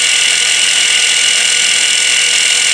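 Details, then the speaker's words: New V3 model tank gearbox, not yet broken in or lapped, run on the bench: steady, high, hissing gear whine. "I don't know if you could hear the fluctuation in the sound right there, but it's like the gears aren't meshing as well as they could."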